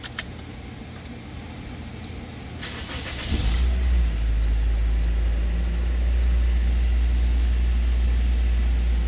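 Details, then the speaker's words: 2009 Toyota Matrix with crank-no-start and code B2799 (immobilizer, engine computer replaced), after key programming fix: chime beeping, brief crank, then engine catches and settles into steady even idle with no misses; starts normally. "Running. All right, guys, that was a success on the 09 Matrix."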